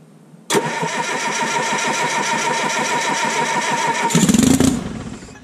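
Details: Detroit Diesel 3-53T (1968 GM diesel), first start after total overhaul, stone cold at 4.5°C/40°F engine temp, -3°C outside: catches at once, settles into even diesel idle, short clean rev; good oil pressure, no leaks, healthy cold start.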